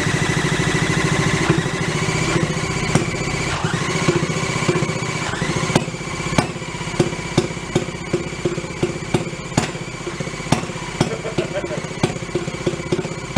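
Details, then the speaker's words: 1937 Sears Waterwitch 2.5hp two-stroke outboard, 83 years old, stored for 60 years in a shed, points just cleaned: ragged uneven buzz thinning to pops and misses as it seems to run out of fuel; timing still needs adjusting. "oh i think it used all the fuel off i think we got to keep screwing with it the timing see where it is where it wants to run"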